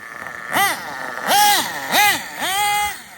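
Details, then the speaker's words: RB sealed-back-plate C nitro engine in an RC drag car, stock carb untouched, slightly lean down low: short high-pitched blips rising and falling cleanly with throttle, crisp and even with no sputter; running well, near perfectly tuned. "man that's about perfectly tuned right there"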